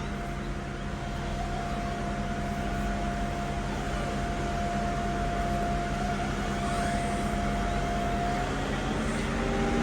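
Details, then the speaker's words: Mercedes SL500 at 46,000 miles, after its ABC tandem pump was replaced with a standard power steering pump and the fluid topped off: smooth, even hum while steering with no moan or growl. The power steering pump sounds normal. "Turn that steering wheel, make sure you don't hear any moaning or growling from the power steering pump."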